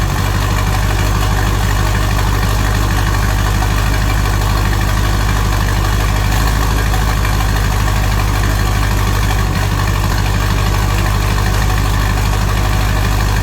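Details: 6.0 Powerstroke diesel with a newly fitted S369SXE non-VGT turbo, stock fuel, first start with intake off: deep steady idle, no misses, knocks or whistles, quieter than expected; only a driver-side manifold leak noted.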